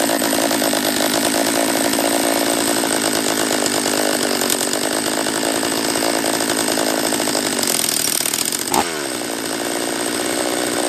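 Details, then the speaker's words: Refurbished Husqvarna 44 chainsaw on its third heat cycle after reassembly, carb leaned an eighth turn: it screams at high revs with an unsteady, wavering note and a dip near the end. It won't hold its carb tune; owner suspects a lower-end vacuum leak. "yeah not uh not a huge fan of the uh carb on this one not yet all right so it's not running right um if i can't get it to tune out on this third heat cycle i'm just gonna shut her down"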